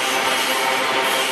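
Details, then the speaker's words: Iron-ore freight train passing Barbará yard, Barra Mansa RJ, wheels giving a continuous, even harsh rasp over rails ground with grooves by the railway for better adhesion; normal noise from rail grinding. "vocês puderem notar Olha só eles possuem estrias e o que permitem uma melhor aderência então por isso esse barulho quer comum aqui na e na malha da MRS na passagem dos trens aqui seja ele qual for"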